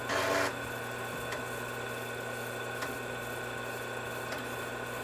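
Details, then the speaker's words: Altair 8800 on its new 12-slot MITS backplane, first power-up, loading MBASIC from floppy after booting: steady drive motor hum with soft head clicks every second or two; normal floppy access. "It's loading MBasic. You can probably hear the floppy drive accessing. This is a really good sign."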